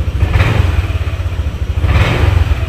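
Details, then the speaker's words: Honda Vario 150 new scooter engine idles normally but stumbles, sputters and lags on each throttle blip; misfire from spark leaking at the spark plug cap. "Nah, ketika kita tarik gas, nah ini tuh jadi kayak delay gitu, guys."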